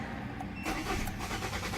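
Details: 2013 Kia Cerato YD 1.8 automatic: starter cranks the engine at a steady rhythm but it never catches; scan tool reported relays working but no fuel, traced to a failed fuel pump relay; crank no-start.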